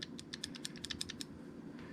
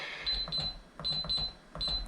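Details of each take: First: Winchester safe electronic lock latch after cleaning and lubricating with Real Magic (previously sticking, worsening; battery change didn't help): quick run of crisp light clicks over about a second, latch snapping through freely, no longer sticking; normal latch operation. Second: Winchester safe electronic lock, still failing after a new keypad battery. Several rounds of high keypad beeps, each followed by silence, then a heavy thump with no clean bolt release. Sticking lock, later fixed by spraying Real Magic.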